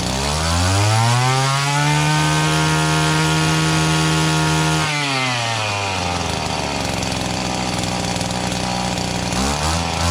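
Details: Echo GT-200B (Kioritz) two-stroke string trimmer after recoil starter rope repair: small engine buzzes up to a high steady rev, then drops to a clean, even idle; running fine.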